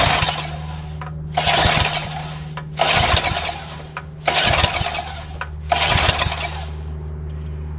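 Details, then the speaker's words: Craftsman 3 HP Tecumseh lawn edger with a corroded, rusted carburetor, spark confirmed: four short sputtering bursts about 1.5 s apart, each dying out. It fires only on starting fluid sprayed into the intake, showing fuel starvation from the carburetor. "throttle the half oh it is igniting you hear it there we go let's try this out some more spray some more fluid through the carburetor into the intake manifold"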